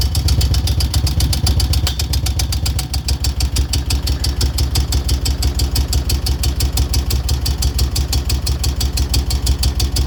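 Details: 2002 Moto Guzzi California EV V-twin loping at idle: fast light steady top-end tick on every firing pulse; origin unknown.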